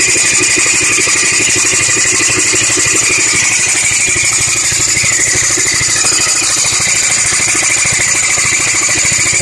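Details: B7 Audi A4 at idle with a harsh, steady, high-pitched metallic grinding from the serpentine belt side that also makes the idle jump up. Exact part unknown.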